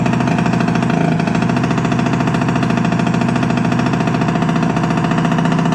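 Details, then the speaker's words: Piaggio Liberty 50 two-stroke air-cooled scooter, sat two years not starting, now running after cleaned plug and fuel refill, exhaust off: loud, rapid, even rattle at steady idle, harsh from missing exhaust; no misfire. "завівся скутер працює тільки гримить бо немає вихлопної но все працює чудово і заводиться"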